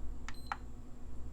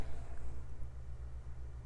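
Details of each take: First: PS5 Digital Edition with a replaced HDMI port, listed as needing an HDMI encoder: two quick beeps in a quiet room with side panels off, then nothing. No fan spin-up; it beeps at power-on and shuts straight down, with a blue light for about a second. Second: PS5 Digital Edition after HDMI encoder chip replacement, run with no fan and standard thermal paste: low room hum, then one short high beep with light clicks. It powers up normally and the HDMI output now locks.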